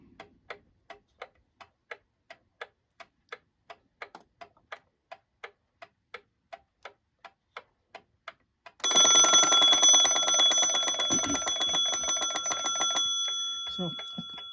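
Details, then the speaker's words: Restored antique German alarm clock (c. 1898–1902, made in Wenberg): even ticking about three and a half per second, then loud continuous bell ring; alarm set between three and four rang a couple of minutes before three, normal. "couple of minutes to three which really isn't that bad considering how old this clock is"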